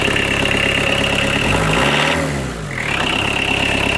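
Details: Fiat Doblo 1.9D converted to a mechanical SDI injection pump, idling after cam timing was corrected from one tooth late; even diesel clatter with a faint high whistle and a brief dip before it settles smoothly, idle a bit high: a normal idle.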